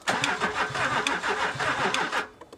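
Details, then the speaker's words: L320 Range Rover Sport non-runner on a weak jump pack (temperature warning lit): starter chugs in quick uneven strokes for about two seconds, engine never catches; slow cranking, no start. "All right. I'm not getting that much of a long crank out of it with that."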